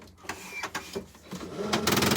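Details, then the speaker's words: HP LaserJet M1005 printer at power-on: irregular clicks build into a fast, harsh rattling buzz from the rear gear assembly; its plastic gears wear out after long use. Worn gear assembly. "इसमें आवाज़ आ रही है जो कि इसके gear assembly की आवाज़ है। तो हम इसे खोल के बताते हैं कि ये गियर असेंबली का काम आ रही है।"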